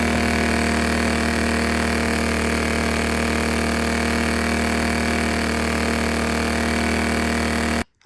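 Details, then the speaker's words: Predator Super Quiet Inverter 2000 after reseating the loose pushrods onto the rocker arms and adjusting valve lash: constant, even hum at fixed speed, no ticking, misfire or hunting, then it cuts off; running properly. "right super happy that we got it running"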